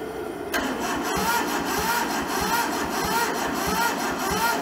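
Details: Toyota SDK4 skid steer diesel, rusted and seized, bought sight unseen, first start attempt: starter jumped across the solenoid, temporary diesel tank, ether tried; slow regular cranking pulses about one and a half a second never catch; cranks, no start.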